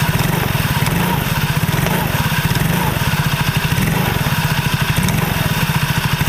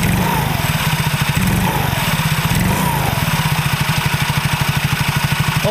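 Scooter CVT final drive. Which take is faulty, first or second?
first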